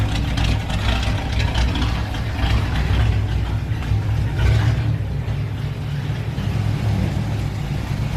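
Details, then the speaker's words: Engine running as a reference for how a healthy motor should sound: a steady, even, low rumble that swells smoothly as revs rise and settles back, with no knocks or ticks. It sounds healthy. "So we wanted some motivation from pulling the motor out, so we wanted to hear what an actual motor should sound like."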